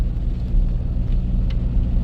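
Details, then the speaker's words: 2004 Toyota Tacoma four-cylinder, 141,000 miles, had a dead miss on cylinder 1; after the fix and several heat soaks: steady, even idle with no stumbles or skipped beats, all cylinders firing; normal idle. "absolutely no misfires no dead cylinders I'm going to call this one fixed at this point"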